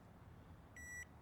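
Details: Big-block 454 C30 dually: multimeter on ohms continuity at the headlight switch, tail-light circuit. Wiggling the switch brings one short high beep. Corroded switch contacts suspected, giving intermittent continuity; not confirmed.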